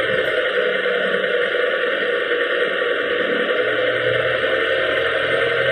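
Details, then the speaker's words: Chrysler Town & Country/Voyager/Caravan with electronic stethoscope clamps at both front wheels, channel 1 on the right: a steady low hum at road speed without clicks, heard on channel 1 only, from a worn right front hub bearing. "Como podemos escuchar, en el canal 1 está pues todo el ruido."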